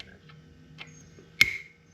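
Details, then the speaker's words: GY6 139QMB 50cc scooter (IceBear Maddog) during Naraku 100.52 big bore kit install: faint taps then a sharp metallic click as the piston wrist pin circlip is pressed with a small socket and seats in its groove. "That was it. And make sure that is sitting in that groove. It looks like it is seated."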